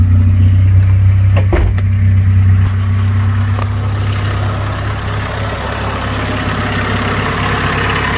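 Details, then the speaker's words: Honda CRX Si with holed, rusted muffler patched and sealed, tailpipe disconnected from hole: after a short blip, deep loud even idle drone, raspy exhaust note, a little louder. "it is disconnected from the hole that's down here so it does kind of have a nice little sounds like i have an intake it is a little louder"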